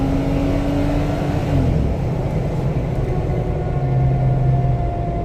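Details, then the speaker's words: 2017 Jeep Wrangler JK, 30,000 miles, 37-inch tires, driving: droning whine from the rear shifts and falls whenever off the accelerator; loose ring gear bolts in the rear differential. "the customer says that it makes a noise anytime he's not on the accelerator"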